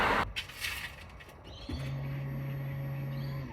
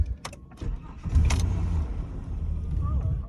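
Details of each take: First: 1998 Holden VT Commodore Berlina, crank-no-start, listening by the tank at ignition on: steady low hum for about two seconds then stops, the in-tank fuel pump priming normally; fuel supply still suspected. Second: 1998 Holden VT Commodore Berlina, crank-no-start, starter fluid sprayed into the throttle body: cranking turns into a short splutter, so spark and security are fine and it's a fuel supply fault; owner suspects empty tank despite gauge showing quarter.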